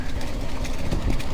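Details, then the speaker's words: Cannondale Moterra SL e-MTB with Shimano EP801 motor on a downhill descent: loose irregular clattering over trail noise, very noticeable even on mellow descents; rider suspects the drive unit or drivetrain, or rocks hitting the down tube. "right off the bat you hear the engine rattle uh I heard some reviews say it blends with a trail noise but absolutely not really really bothers some sounds like I don't know something is wrong with the drive train"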